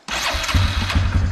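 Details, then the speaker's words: 2009 Yamaha Wolverine 350 ATV: starts right away into a fast, even single-cylinder patter; the idle is high because the choke is on, and it dies with the choke off, so the idle needs adjusting. "see how it's idling high because the choke's on you turn the choke off and the bike dies"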